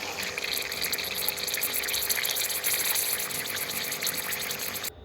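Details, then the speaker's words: Central heating pump bleed point cracked open after the coil was vented, with trapped air escaping. Hissing, gurgling water rush whose tone keeps changing as the air purges. "Now when I'm venting pumps, I literally just crack it and just leave a tissue under there, or I'll leave a tub under there or whatever, and I just leave it, and you will just hear the tone will change all the time. It will constantly change."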